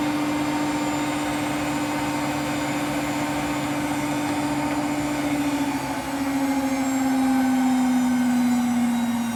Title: Road to 30K - Hotpoint WMFUG942 - BROKEN! (Bad Motor Bearings)